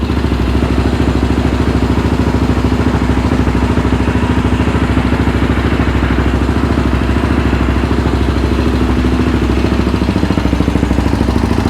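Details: Yamaha Raptor 700R after engine rebuild, first start with FMF pipe: very loud, hard single-cylinder beat steady around idle with crackly exhaust pulses, untuned and backfiring, shooting flames; programmer planned to clean it up.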